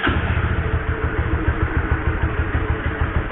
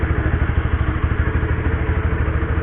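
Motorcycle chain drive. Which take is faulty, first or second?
first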